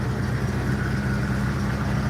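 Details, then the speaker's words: Carbureted V8 idling during walk-around: steady, even low rumble with no misses, knocks or ticks; carburetor idles very nicely. "And as you can hear, this carburetor idles very nicely."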